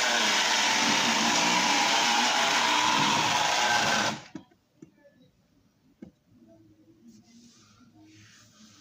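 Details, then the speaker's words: Lionel tie-jector model train accessory restored to running: loud steady whirring grind with faint whine for about four seconds; owner suspects oiled nylon gears and plans a little grease to quiet them. "Um, I think that's those nylon gears and they're oiled. Uh, but I think if I put just a little bit of grease, just a little bit of grease uh down on them, that will help uh with that noise, that gear noise."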